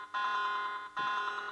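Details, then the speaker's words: Sega Golden Axe arcade PCB in sound test: two bursts of a harsh, steady siren-like wail about a second each where the voice sample should play; suspected faulty voice ROM or wrong jumper settings, not yet confirmed. "oe yeah voice oe makes that freaking siren noise what the hell's that about that's od so works fine makes a horrible siren noise um hmm maybe that rom is not quite right"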